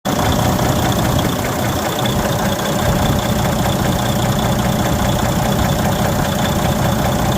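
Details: DD15 diesel overhauled, 110k later: loud clattering knock mixed into harsh raspy roar, static-like noise when accelerating, vibration felt; source of knock unclear.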